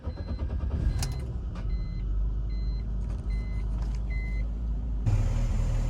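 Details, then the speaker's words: 2000 BMW 328Ci after replacing fuel filter and spark plugs and fixing a loose air hose: low uneven wavering idle with chime beeps over it; still idling rough, cause not yet found. "So the car looks like doing the same thing. It's like idling rough."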